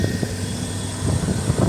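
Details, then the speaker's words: 1982 GMC farm truck running after a starter was fitted and the rear end repaired for lack of oil; a steady, even low drone with no misses, knocks or squeals, running smoothly. "Anyway, this thing is running good."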